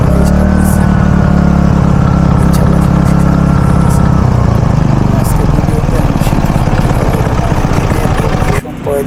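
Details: Robin small single-cylinder engine runs loud and steady at constant speed with an even rapid beat after ignition coil repair; it had failed to start and now starts and runs normally.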